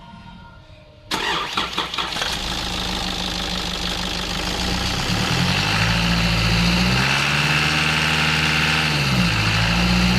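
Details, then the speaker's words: Nissan Patrol ZD30 diesel after exhaust manifold replacement with new gaskets: cranks, fires and revs cleanly with no high-pitched squeal; squeal when accelerating parked or under load came from leaking exhaust manifold, now fixed. "perfect and as you could hear there the noise was gone the fault was found and fixed and it all came from that exhaust manifold"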